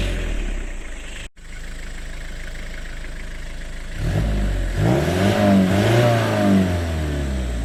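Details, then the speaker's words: 5L HiLux diesel after rocker cover gasket replacement, insulation removed, started after 2–3 weeks sitting; steady diesel clatter at idle, then smooth revs rising and falling cleanly, no knocks or misses; healthy engine. "We're going to start it up now and see if it's any louder without that insulation."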